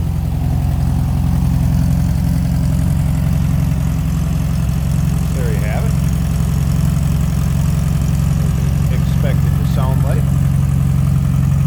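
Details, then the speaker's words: 1972 Porsche 914/4 with 5-speed manual, just started from driver's seat: steady, even low idle rumble with no knocks, misses or ticks; smooth running, always starts right up. "Nice, smooth running cars. Always started right up. Whenever I fired it up or have moved it around."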